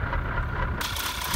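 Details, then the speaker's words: 2011 VW Polo GTI WRC at idle: uneven lumpy low thrum with wavering beat; rough idle, owner says engine broken; cause unconfirmed. "That sounds like you've got a bit of oomph going in there. Yeah, that does not sound good."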